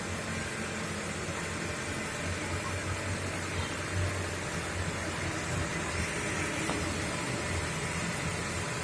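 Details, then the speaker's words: Older car idling cold during a morning warm-up, with thin exhaust smoke and water vapor considered normal: an even, low rumble and steady hum, no knocks or misses over nine seconds; smooth, normal engine sound. "Dan mesin juga masih halus, kita dengarkan suaranya. Masih agak halus, masih normal suara mesin."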